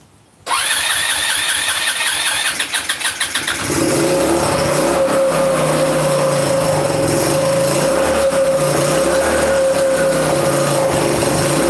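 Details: 150cc Chinese scooter, new but tampered engine, air filter off, started on starting fluid: catches after half a second, stumbles, runs rough, fast and unsteady, no idle; timing fine, no clanking, carb clean and hoses check planned.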